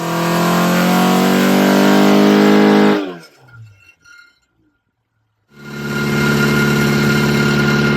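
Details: Ford Crossflow engine on a dyno with twin 40 DCOE carbs, Kent 224 cam, Vulcan head, testing 39 vs 55mm ram pipe lengths; loud even roar held hard under load three seconds, cut, then picked up again; clean pull, no misses or knocks.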